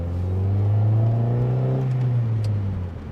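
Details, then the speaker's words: 1989 Honda Prelude Si test drive after throttle position sensor replacement: smooth engine note climbing cleanly with road speed, no hesitation, stumble or hanging revs; running as it should. "yeah yeah oh my God finally yes oh after all this time and all this trouble we fixed it"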